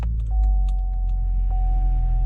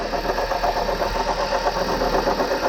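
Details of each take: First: 2011 Chevy Cruze 1.8L Ecotec after water pump replacement, started after refilling coolant, heat on max to circulate coolant: low, even rumble with a faint steady tone, no knocks or misses; smooth normal idle. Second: 2011 Chevy Cruze 1.8L Ecotec at idle: steady rough whir with a faint gritty rattle from the water pump, whose bearing shaft has failed so the pulley wobbles side to side. Water pump bearing noise.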